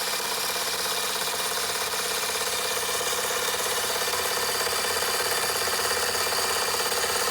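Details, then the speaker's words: Fleischmann 135/2 steam engine running after repairs, burner trouble sorted: quick, fairly even chuffing at about three beats a second with a steady hiss; it runs smoothly. "Oh, sounds like a jake brake, doesn't it? A pretty good thing."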